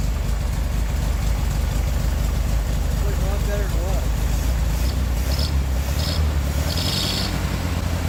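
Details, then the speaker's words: 1969 VW Beetle air-cooled flat-four with Solex downdraft carburetor, after replacing bad condenser and modified coil (unsure which was faulty): low even chugging idle, steady without misses; best since overhaul, normal idle. "Well, we got our bug got the bug running good. We found a uh a bad uh cap or capacitor and uh and uh we in the coil."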